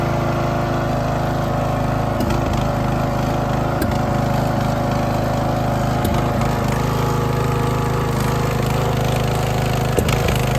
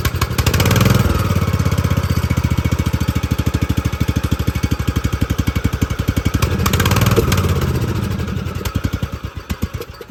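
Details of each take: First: Poulan XT tractor mower single-cylinder after a new spark plug and adjusting the Chinese carburetor's idle and mixture screws, which stopped the popping and backfiring. Runs steady and even, with no misses; smooth idle, running like a top. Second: Poland XT gear-drive 42in deck lawn tractor with new Chinese carburetor: fast steady cranking, about four beats a second, surging twice but never catching, because the fuel valve was shut off.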